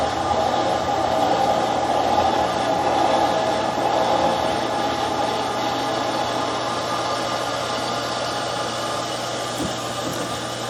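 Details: Camp outdoor water pump in boat house pumping from lake line with cistern line throttled to keep prime, suction hose filling and building pressure; steady even motor hum and constant whir, no knocking or surging; normal pump running.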